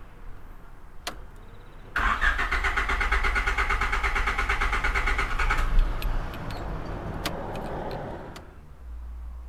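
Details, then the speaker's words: Car after a home oil and filter change, which misfired then died: starter cranks steadily about four seconds with even compression pulses but engine never catches; cranks, no start, cause not yet found. "the car started to misfire and then it just died and I couldn't start it up again"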